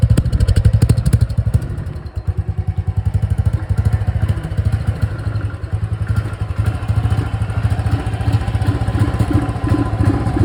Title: Royal Enfield Thunderbird Thumping Sound